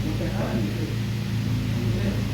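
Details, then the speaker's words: Mahindra Scorpio diesel idling warm after cylinder head repair for bent valves and broken rockers: a steady, smooth low beat with no misses or shaking; the earlier misfire is gone. "और गाड़ी का देखिए एकदम sound भी एकदम solid है, अभी गाड़ी पिकअप भी अच्छा ले रहा है और पहले वाला का जो मिसिंग है वो बिल्कुल भी नहीं है।"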